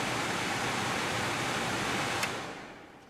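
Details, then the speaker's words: Holmes HAP 180 air purifier after repair, motor re-mounted with cable ties and PR40 glue: steady airy rush winding down smoothly, very minimal noise, slight sound only from blower wheel being a little out of true. "and that's just cuz the blower wheel is a little bit out of whack"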